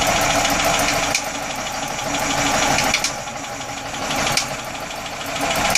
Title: Atomic 4 Popping noise